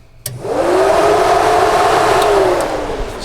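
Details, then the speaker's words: 1967-72 Chevy/GMC truck dual electric radiator fan conversion, fans triggered via relays with ignition on: spin up in a fraction of a second to smooth steady whoosh, even hum, no rattle or scrape; normal fan operation. "see that's really pulling a lot of air let me double check okay they're both blowing the right direction so we're all set up"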